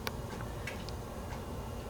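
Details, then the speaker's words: 1960s Revere UrbanLite mini streetlight with incandescent lamp at full brightness: quiet room with scattered sharp irregular ticks as the hot metal housing expands; normal. "Yeah, you can hear you can hear it, you know, you can hear it clicking because it's just so warm."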